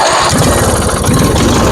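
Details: Twin-cylinder Craftsman riding mower that would not start, after new ignition coil installed: quick even putter, steady with no misfire gaps; normal running again.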